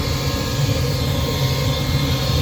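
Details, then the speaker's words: Old inducer motor on a Rheem furnace, unit still working but extremely noisy: loud steady low roar with rough droning hum; sound is internal to the aged motor windings, not serviceable, so the motor is being replaced with a new one. "if a motor is making a sound and it's past a certain age, there's really nothing you can do besides replace the motor, because that sound is internally in the windings on this motor."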